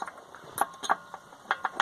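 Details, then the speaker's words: VW Golf MK3 brake: sharp, irregular metallic clicks, about six in two seconds, as the pad shifts. The brake pad rattles because of play in its caliper seat, fixed by fitting the U-shaped clip the other way round. "Tá bem esse Uzinho aqui, essa trave ao contrário, porque ela tava com folga. Ó, como vocês podem ver, ela ficava fazendo esse barulho,"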